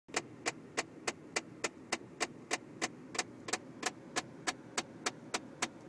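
Sharp, crisp ticks about three times a second over a quiet cabin hum, fairly regular; a rattle or tick whose source is unknown.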